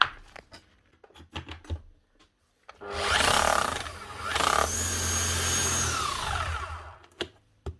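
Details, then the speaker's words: Old Makita HR4500C rotary hammer, just reassembled after a stuck broken chisel was removed and new rings were fitted on the striker, spins up with a steady, even hum and winds down with no grinding. The motor sounds much smoother; normal. "Motor sound an awful lot smoother."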